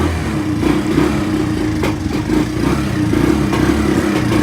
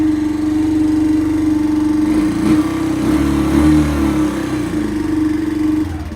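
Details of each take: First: Free, long-sitting Kawasaki Bayou quad that smokes a bit and won't electric-start, running roughly with an uneven, stumbling single-cylinder beat and surging revs; owner plans to remove the carburetor next. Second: Kawasaki Bayou quad revived after not running: fresh gas, choke on, started by cranking the starter directly since the start button is not working. Single-cylinder chugs steadily and evenly for several seconds, then winds down and stops; normal running.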